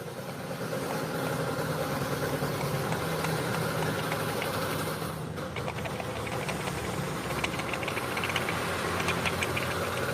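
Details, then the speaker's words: Honda scooter CVT (Vario/Beat PGM-FI injection) at idle: uneven knocking rattle about three per second; worn CVT rollers and a loose pulley bushing causing noise and roughness. "perhatikan ini Bosnya juga sudah terlalu longgar ini ini akan menimbulkan suara dan dia kasar sudah terlalu Lombok ini"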